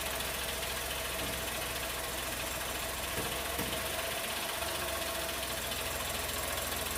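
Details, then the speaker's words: New Chevrolet Tracker 3-cylinder turbo petrol, first start of the day at 8 a.m., camera at the engine with hood up: steady idle with light, fast, uneven ticking from the fuel injectors; dealer mechanic says it's normal. "acontece na primeira partida do dia geralmente vai fazer esse barulho porque porque os bicos injetores estão trabalhando"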